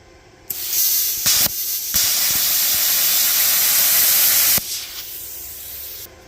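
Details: CUT50/CUT55-type plasma cutter torch air flow at a low gauge setting (about 15 psi): steady, sharp hiss starts suddenly, holds evenly about three seconds, then cuts off; 20 psi clears better.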